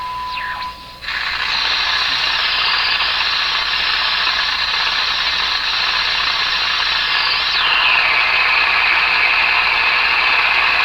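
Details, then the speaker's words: Hallicrafters TW2000 radio during broadcast-band alignment: hissy static with a steady whistle that shifts pitch while tuning; suspected interference from another nearby signal, not confirmed. "So I think I'm having some trouble because there's this other signal there."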